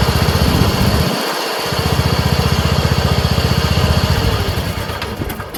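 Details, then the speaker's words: Craftsman 30" rear-engine rider mower, single-cylinder, with a clogged fuel filter found (carburetor not at fault): fires steadily at about three beats a second, dips briefly, then picks back up and runs properly. "See what I mean? It's not the carburetor at all. It's just a clogged fuel filter."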